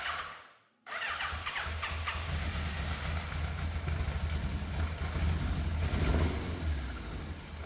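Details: Fire-damaged Yamaha FZ750 four, 41,000 miles, choke confirmed off, idle balance unsettled: catches into uneven, lumpy idle with irregular stumbles; misfire, middle two exhausts cooler than outer two, cause suspected not confirmed.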